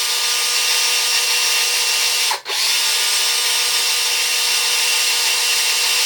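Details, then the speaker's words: DeWalt DCD925 XRP 18V cordless drill: on trigger pull, high steady motor whine cuts out briefly then picks back up as smoke comes from rear vents with electrical burning smell; intermittent, mainly at start. Motor suspected, not confirmed. "When you pull the trigger, it starts to smoke. Smoke comes out of the vents at the back here, and the power dies off, but then it comes back and clears up."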